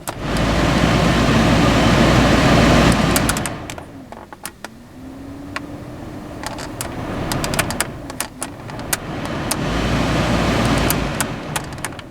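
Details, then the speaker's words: Fiat Grande Punto heater blower after repairing the overheated wiring block connector at the heater resistor pack: steady even rush of air at full fan speed, no rattle, squeal or cutting out; working properly. "okay so let's give it a go two okay so that's working good Straight Up full"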